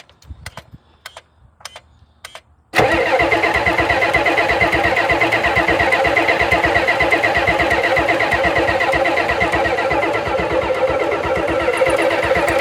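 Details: 1991 Ford F350 dually, 7.3 IDI diesel, first start since 2010: slow uneven cranking for nearly three seconds, then it catches and clatters steadily; hard starting, owner unsure of fuel pressure and suspects fuel delivery, considering a fuel pump.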